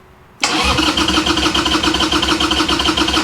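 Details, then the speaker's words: Harley Sportster that sat for years, cranking with the choke out: fast, uneven cranking that never catches. The owner suspects it isn't getting enough fuel. "not getting enough gas, dude."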